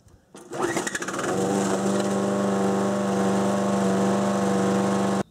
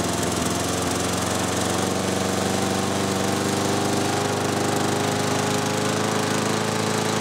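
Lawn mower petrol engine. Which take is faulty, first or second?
first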